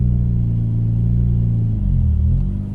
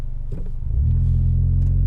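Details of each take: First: Mitsubishi Evo X, high-mileage SST dual-clutch gearbox: engine drone climbs and wavers on light throttle pulling away before the car moves; worn SST clutches slipping on launch. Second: Mitsubishi Evo X with high kilometres and a rebuilt SST dual-clutch gearbox (50,000 km on rebuild), hill start in super sport mode, aircon off: rolls back slightly, then engine settles into a firm steady drone with no rev flare; clutches grip cleanly.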